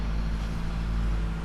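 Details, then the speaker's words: DAF XF95.480 tractor unit, XE355C diesel, about 2.6 million km; it lost clutch on the road and drove 15 km in; idles with a deep, uneven rumble and lumpy throb because the crankshaft broke in half. "車のエンジンのクランクシャフトが半分に折れたことが明らかになりました"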